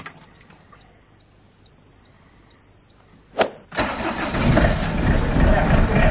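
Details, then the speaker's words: Old diesel camper van after winter storage, after glow-plug preheat: four steady high beeps, then strong starter churn with no firing; cranks but won't start, owner suspects dead battery. "Ok, bon. Pour le moment ça démarre pas. On va réessayer, on relaisse préchauffer."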